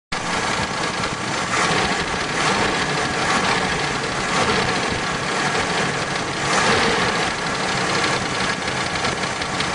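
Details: 1971 Pontiac Trans Am H/O 455 V8 at idle with a steady, rhythmic engine knock tapping through the engine noise.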